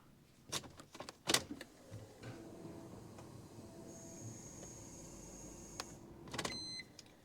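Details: BMW E46 330ci after fuel pump replacement, ignition switched on: short clicks, then faint steady high hum about two seconds that stops by itself; new in-tank pump priming normally, no leaks.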